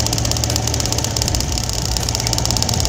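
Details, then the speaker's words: Honda Scoopy fuel-injected scooter ignition coil spark test with about 1 cm plug gap while cranking on the starter: quick, regular sharp spark ticks over an even idle, so the coil still fires well at 1 cm. "Kelihatan banget Tuh aktif pada awalnya kalau pas dites bisa nyala masih bagus"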